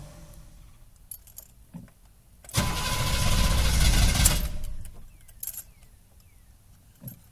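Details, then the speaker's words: 6.2L diesel cold morning start after new fuel filter: fires, idles fine briefly, then runs rough for under two seconds and dies; fuel filter didn't fix it, owner suspects air in fuel lines or cold/damp temperature. "well apparently fuel filter didn't fix it just happened again kind of rough idle and then it conked out so see if we can get started"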